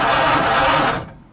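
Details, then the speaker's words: Ford flathead starter from a 1948, 12 V and 6 V mismatch, not oiled or greased, sat about 50 years: about one second of thin, sluggish whirring that dies away; weak cranking, cause unconfirmed. "Did it sound right? It sounds a little Weak. weak, That's what I was saying."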